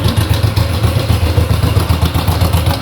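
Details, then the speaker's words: Honda Biz/Pop 100/110 small motorcycle engine idling, filmed up close: loud, busy metallic clatter over the low thump from the cam chain and its tensioner. "deu para pegar aí no no vídeo né que tá fazendo um barulhinho esse barulho é da corrente comando tá"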